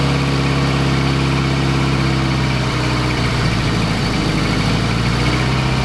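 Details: Fiat Coupe 16V turbo after a new coolant temperature sensor and GFB blow-off spring: a steady drone, then the idle starts wavering and stumbling into an uneven, hunting beat; it ran a little better but failed the MOT, cause unknown.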